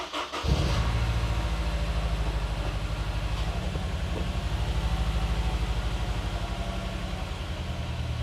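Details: Honda S2000 restarted after swapping coil packs to see if the cylinder four misfire code moves to cylinder one. It catches cleanly but idles with an uneven, stumbling, lumpy beat: a misfire possibly from a faulty coil pack.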